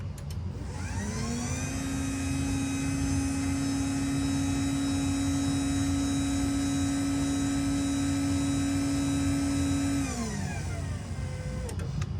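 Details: LiftMaster 87504-267 garage door opener from 08/11/21, non-MC, that once sounded like a coffee grinder, now with factory-revised foam plus one extra piece: the motor ramps up to a steady even hum with a faint whine, runs smoothly about eight seconds and winds down cleanly; normal run.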